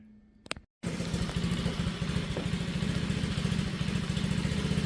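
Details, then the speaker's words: 2004 Pantera 50cc mini bike after refresh, oil change and tune-up: small single revs then settles to quick steady putter, lifters and rocker arms now silent, no valve-train ticking; normal idle. "Yeah, the little lifters are just silent now. The little rocker arms, you don't hear them at all."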